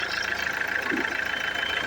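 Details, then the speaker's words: Mercedes-Benz W212 E220 with OM651 four-cylinder diesel, just restarted after replacing leaking injectors: steady, even idle with the leaking puff sound gone, normal. "กิ๊บนะครับเสียงเสียงที่มันมันรั่วนะครับแฟกๆๆตรงนี้หายไปนะครับ"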